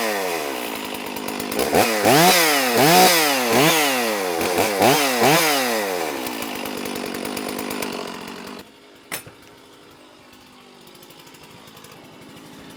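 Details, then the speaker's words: Stihl MS460 chainsaw after piston replacement, aftermarket muffler fitted: about five crisp throttle blips, picking up cleanly each time before dropping to quiet; normal running. "assuming nothing bad happens I intend on running that saw tomorrow I'm going to go ahead and cut this video loose I'm excited that that saw runs so cool"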